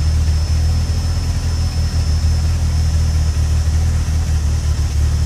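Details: Cold Peugeot 106 GTi holding a low, slightly uneven idle with faint stumbles; misfires and cuts out until warm, clears near 5000 rpm, began after a harsh downshift into 2nd; temp sensor already replaced, cause unknown.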